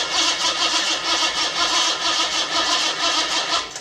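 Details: $50 L28 six (240Z) freshly rebuilt with chrome-moly rings and new bearings, first fire-up: catches and runs fast and uneven with light ticking on top, pointing to slightly loose tappets; good oil pressure, no smoke.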